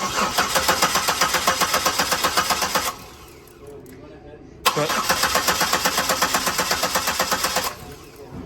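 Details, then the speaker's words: 2007 Buick Lucerne cranked with the fuel pump relay pulled: starter cranks in an even, fast chug about four beats a second, pauses, cranks again, never fires; crank no start because no fuel pressure reaches the injectors. "so as you can see the engine does not start because the fuel pump isn't giving it any pressure so there's no fuel getting into the cylinders into the injectors"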